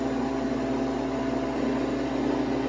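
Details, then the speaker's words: New Harvest Right freeze dryer on its first bread run, freezing stage about an hour in at 7°F with ice forming on the drum: steady even hum, constant mid tone and fan hiss, no knocks or surging; running normally. "as you can see in the drum it is getting a lot of ice on the sides seems to be working great"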